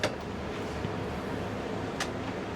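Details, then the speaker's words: Grand Design Imagine XLS 22RBE RV with a Coleman roof air conditioner, fan on low. Smooth, steady low whoosh with no rattles or surging, so the fan runs fine. With the compressor on, power dips about 25% and no cold air comes out. "running just fine, but it's just the fan."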